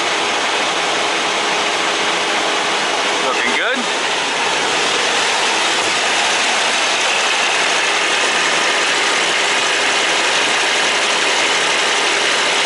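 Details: Kenworth T680 diesel truck just fired up after an oil and oil filter change, oil pressure coming right up: steady, even diesel clatter at idle with constant hiss, no knocks or misses; engine sounds healthy.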